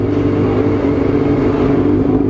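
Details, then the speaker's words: Honda CB1 NC27 after maintenance and minor engine work: a smooth, steady mid-pitched engine hum with no rattle or ticking. It is now quiet; normal running. "Yun o, tahimik no."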